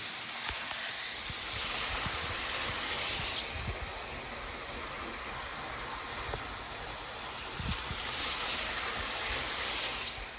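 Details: Hornby R693 High Speed Train set from around 1990, HST running around the table: soft, even whir with light hiss and occasional rail clicks, no catching or labouring; the small motor runs sweetly, normal running.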